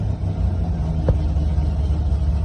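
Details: TI-tuned drift car, just refitted with braided stainless PTFE fuel hoses: deep, steady rumble after a fresh start, holding an even idle with a light blip. No stumble or misfire; it is healthy.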